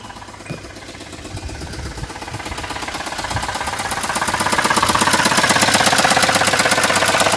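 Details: Hyundai Santa Fe or Kia Soul engine at idle right after oil and filter change with Rislone engine treatment added, steady light ticking-knock about 160 per minute growing louder; engine knocking persists, cause not pinned down.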